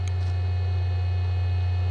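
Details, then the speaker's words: 25-year-old SyQuest SparQ cartridge drive reading data over parallel port, microphone right at the drive: loud steady low drone with faint high whine, much more vibration than a regular hard drive; owner unsure whether normal or imminent failure. "and I hope you'll be able to hear the vibration and maybe some high frequency wine and maybe some of the the read head sounds from this"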